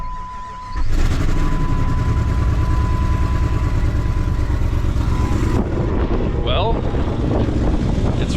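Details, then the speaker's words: 2004 Jeep WJ 4.7L on first start after head work, no accessories or coolant, exhaust unbolted, on battery power: loud, raw, deep rumble at idle with open exhaust roar from the massive exhaust leak. "obviously it's got a massive exhaust leak since i don't have the exhaust bolted on"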